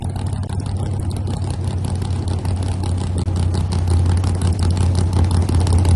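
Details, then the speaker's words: Car's first ride after full assembly: loud low V8 rumble with uneven, hesitant pulses failing to build cleanly when revving; something wasn't right; carburetor lean stumble. "So, this is the first time when the car was fully assembled that I was able to take it for a ride. Listen closely. You'll understand why we didn't Something wasn't right."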